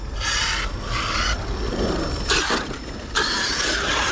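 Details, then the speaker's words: Traxxas X-Maxx 8S RC truck driven hard: a harsh, high rasping screech comes in bursts. Owner suspects the rear diff, but the Techno pinion was later found stripped with two teeth missing and the spur slightly worn. "It makes terrible screech noises, guys. Look at that. The diff is screaming, guys. I think it's a rear diff."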